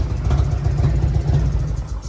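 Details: Auction-bought $200 Harley-Davidson, first run: deep, loping V-twin idle with a slightly uneven beat and no knocking; it runs, though the carburettor could use attention; rough idle.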